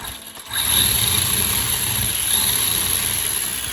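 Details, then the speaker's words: Arrma Big Rock 3S RC truck with a new aluminum motor mount and spur, the gear edge Dremeled for clearance. After a click it spins into a high steady whine with a rough rasp underneath. Rough drivetrain noise; owner suspects the gear clearance or break-in. "so I'm wondering you know that if that's if that's what I'm hearing cuz it don't sound as smooth as it could it could just be that Breakin thing that you have to do"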